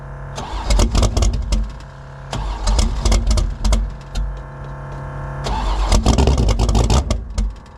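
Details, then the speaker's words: 1984 Fox Body Mustang drag car, roughly 350 hp V8, about 20 degrees out, no choke: repeated cranking bursts with stumbling catches that die, then a ragged uneven rev as it finally stays running; 878 CFM carburetor way too big. "We finally got this thing to stay running. And um the carburetor on it is way too big. It's got an 878 CFM carb on it and it's only got about 350 horsepower."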